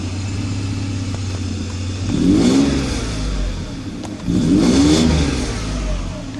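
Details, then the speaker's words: Faulty electronic throttle (E-gas) actuator on a 1995 Mercedes S600: revs rise extremely sluggishly in two weak surges and sag between them despite pedal floored, rpm unsteady; actuator clicked three times then stopped activating. "you see it is extremely sluggish rpms are not steady so there's clearly a problem there the throttles do not work correctly"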